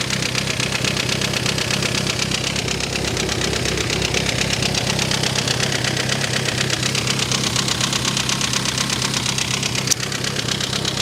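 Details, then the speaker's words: Mini Cooper S on its first start after a battery charge, with loose rocker cover bolts and a very loud exhaust: lumpy idle with uneven chuff and a fast ticking rattle about twice a second; misfire at idle. "Exhaust is very loud though. Definitely sounds like it's misfiring as well."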